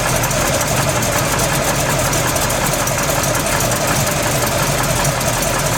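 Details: Freshly built SBC 350 (aluminum 64cc heads, .500/.510 lift, 10:1 pistons, Edelbrock intake, 600cfm carb, likely out of tune), idling in gear: rough knock about two to three per second; persists with plug wires pulled, owner suspects piston slap or flexplate.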